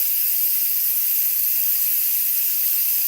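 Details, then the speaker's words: Nesco electric pressure canner after chicken canning cycle, valve turned from airtight and unplugged: loud steady steam rush, no sputter or pulsing; normal pressure release venting. "Now, that's going to continue to let all that steam up out of there."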